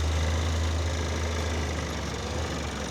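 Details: 1976 AMC Pacer 4x4 on 35-inch tires, idling: steady even low rumble with no knocks or misses; normal idle.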